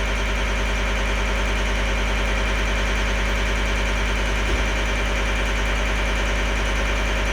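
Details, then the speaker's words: 2012 John Deere 333D skid steer with reman long block diesel, first test run: steady, even idle with a smooth low throb and no knocks or misses, before warming up; sounds healthy and settled. "it seems happy now I'm going to let it get up to Temp"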